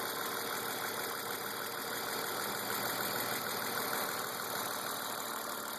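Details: BMW E36 328i M52, 175,000 km, M50 intake, M3 EU headers and exhaust; idle with light quick tick about three a second. Oil, cam/crank sensors, injectors, lifters, chain tensioners, upper chain, VANOS seal replaced; oil and fuel pressure, cam/lifter clearance checked; source not found.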